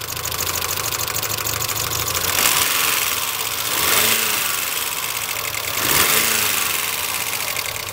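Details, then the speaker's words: Mitsubishi Galant VR4 after engine rebuild, not yet at operating temperature: fast light ticking over the idle, loud and persistent, quieter when revved; owner suspects noisy valves, cause unconfirmed. "I'm kind of worried that this engine is... the valves are too clackety. Just listen to it."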